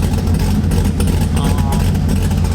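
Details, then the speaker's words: Cammed car idling while warming up after a coolant housing replacement: deep, throbbing idle with a steady cam lope, even level and no knocks; sounds fine. "but we need to get up to temperature so we see she sounds good though"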